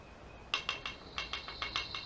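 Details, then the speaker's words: 2003 Acura CL Type S engine during timing belt and water pump job: light sharp metallic tick repeating about six times a second at the crank pulley; owner had suspected power steering pump or tensioner, but noise found to be the failing harmonic balancer. "It's actually the harmonic balancer. That ain't supposed to do that. Holy cow."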